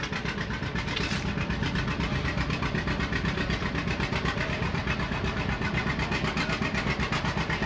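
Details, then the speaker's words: Styled 1939 John Deere two-cylinder tractor, rated 16 hp drawbar and 23 hp belt, engine sideways with an outside flywheel: slow, even, very regular pop-pop exhaust beat of about four a second; a healthy "popping Johnny" running normally. "the A's the B's and so on are what they call popping Johnnies they go pop you can hear them two cylinder the engine sits sideways the flywheel is outside"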